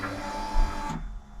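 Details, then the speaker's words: High-mileage BMW R1150GS, first start attempt: at ignition-on a short, steady electric hum runs about a second, then cuts off cleanly; normal fuel pump priming. "fuel pump going let's do that a couple of [Music] times"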